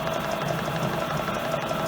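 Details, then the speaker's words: EPKU-1.7 compressor block after repair (connecting rods, pins, rings, cylinder replaced), after 40 minutes running-in: smooth even mechanical hum, no extraneous noise, temperature normal; previously knocked in cylinders and threw oil. "Це все допустимо, це все в межах норми. Посторонні шуми відсутні. Температура також в нормі."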